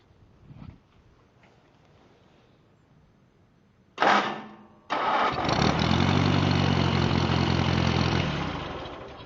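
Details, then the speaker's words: 1949 Massey Harris Pony tractor, Continental 4-cylinder, restored: unfrozen pistons, valve job, rebuilt carburetor, starter, generator, electrical, new muffler: short crank, fires at once, settles into steady, even idle with no knocking or misfires. "There you have it. Starts right up."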